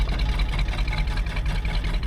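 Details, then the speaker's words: 1964 Chevy Bel Air barn find with a 5/8 race cam, running for the first time in over 30 years, 60 lb oil pressure, alternator charging: a low V8 idle that surges and dips unevenly with a stutter. Rough idle; owner hopes it smooths once limbered up. "Problem is this kitten's got a stutter. The thing's got a 5/8 race cam in it."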